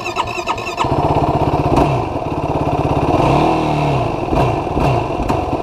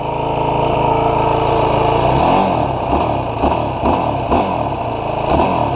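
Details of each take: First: 2016 Yamaha YFZ450R SE single-cylinder quad, factory bog issue on 2014+ models: hard to start, then stumbles and surges unevenly at low RPM and low throttle before picking up; lean condition from factory throttle position sensor setting. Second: New 2016 Yamaha YFZ450R SE that bogged at low rpm/low throttle, after adjusting the throttle position sensor to 0.81 for richer fueling: idles then blips rise and fall cleanly with no stumble; crisp throttle response, bog gone.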